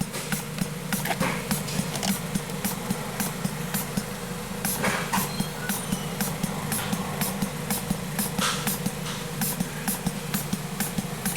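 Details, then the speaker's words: 2001 VW Jetta 1.8T idling with codes P0442/P0455 during the EVAP basic settings test: a fast, even clicking pump that never stops cycling. The test result is large leak, system not okay, with a fuel smell afterward. "okay the test has completed and you can see there it says the results of the test is large leak and system not okay"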